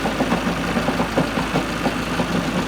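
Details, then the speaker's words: Ford Focus Mk2 at idle: rough running with a loose, uneven clatter several times a second and heavy engine vibration; owner suspects a badly worn, egg-shaped flywheel putting the engine out of balance, unconfirmed. "Look at that flipping engine vibrating. That is one seriously worn out flywheel. Clattering, it must be egg shaped."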